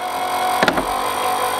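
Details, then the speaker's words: Mustang convertible with new top rams installed: the hydraulic pump gives a steady whine and the top clunks as it cycles up and down, with fluid added each cycle to purge air until the pump quiets. Air in hydraulic lines. "on doing this until until it completely quiets down and then we know or until it won't take any more fluid essentially"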